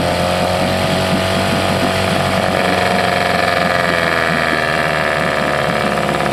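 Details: 1979 Johnson 6hp outboard with low compression: loud, buzzy two-stroke with a slightly uneven, hunting beat under a steady drone; owner suspects fuel starvation. Carburetor bowl was reportedly drained by someone else.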